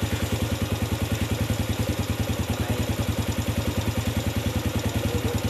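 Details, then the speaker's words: Yamaha Vega ZR after replacing loose oversize-50 piston with oversize-75 piston: even low single-cylinder putter about three beats per second, no knock or rattle, unlike the earlier rough noise when hot; normal idle. "baiklah sobat semua seperti ini hasilnya suaranya jadi sekarang soalnya sudah umum lah umum suara motor enggak seperti tadi sebelum kita ganti piston nya"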